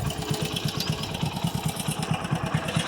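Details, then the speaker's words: Motorcycle at idle: quick even clatter, about four or five taps a second, heard from the cylinder head; top-end rattle, cause unknown to owner. "ஒரு மாதிரியே கட கட கட கடன்னு கேக்குது கரெக்டா எங்கன்னு பாத்தீங்கன்னா ஹெட்ல தான் கேக்குது."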